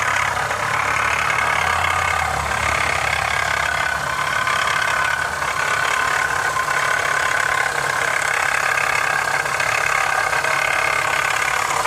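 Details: 2015 Honda CR-V idling evenly with a light, quick rattle at a steady rate; cause unknown.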